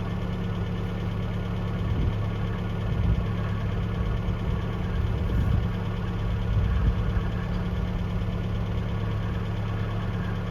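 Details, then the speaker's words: 1982 Toyota SR5 4x4 pickup after fixing crank-then-cut-off problem (carburetor rebuilt earlier; owner thinks emissions control computer box was the cause): steady low idle picks up briefly with light throttle, settles back smoothly without stalling; sounds pretty good. "let's try pretty smoo at the moment up a little bit down sounds pretty good at the"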